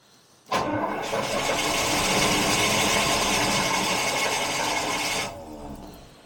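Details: Carbureted 1975 Jaguar XJ12 V12, max choke, fuel pressure building: about five seconds of even cranking that never catches; owner suspects the chokes are doing nothing, starting fluid is next.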